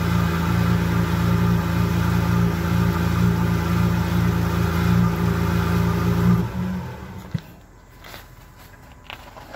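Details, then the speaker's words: Car with a resonator delete, small exhaust pipe leak sealed with JB Weld; first startup after the JB Weld cured: loud, deep, steady idle with no puffing or ticking before shutoff, loud only because there is no resonator, no leak. "sounds pretty good the car is still loud because it doesn't have a resonator but it doesn't sound like it's leaking anymore"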